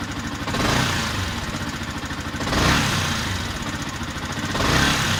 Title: Yamaha yzf r125 ticking sound, is it camshaft?